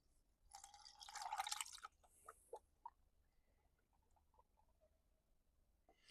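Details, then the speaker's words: 2020 Kia Sedona after thermostat replacement: quiet drips and soft gurgles as coolant is refilled and air bleeds out; normal coolant gurgling during bleeding. "If you hear it bubbling or gurgling or anything like that, that's okay. That's normal. That's what you want to hear."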